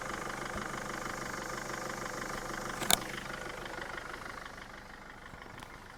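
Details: Mercedes Sprinter diesel van used as a shed, first start after sitting five years, needing some cranking to draw fuel from the tank: steady, even diesel idle with one brief click, no knocks or misses, settles smoothly; normal idle.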